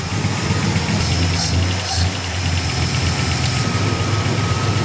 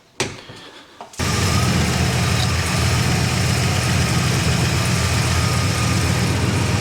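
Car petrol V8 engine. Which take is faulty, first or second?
second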